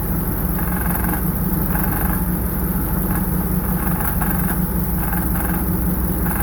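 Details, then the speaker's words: Dirt-track car at idle: a heavy, lumpy V8 idle with a loose metallic rattle riding over it from the shotgun hood scoop shaking. "All that rattle from that uh shotgun scoop. It rattles."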